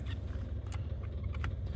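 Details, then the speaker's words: 1950 Mercury coupe street rod, key on, engine off: quiet, steady low hum of the electric fuel pump priming normally. "Keon electric fuel pump I can hear"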